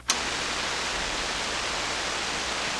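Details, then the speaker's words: SP-600 communications receiver with rebuilt RF deck just installed, first power-up at reduced 92 V supply: steady, even hiss with no station or tone; seems to work but no signal received. "It's very hissy. Well, it seems like it's working."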